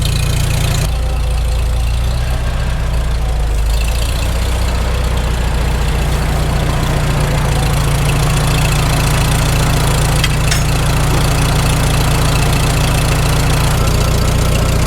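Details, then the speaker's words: Farmall H tractor after cylinder sleeve repair, cold start after sitting with choke, not yet warmed; deep steady low chug, no sharp knock, runs smoothly: normal idle. "Well, it runs nice and smooth."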